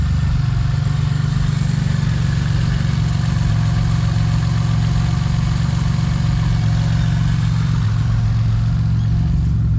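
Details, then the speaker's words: BMW E46 with turbo Ecotec four, E46 rods and pistons, built transmission, about 14 psi boost: deep, steady, even drone with no knocks or rattles; engine sounds smooth and healthy, drives well. "Sounds good, sounds happy, drives happy, and I'm happy."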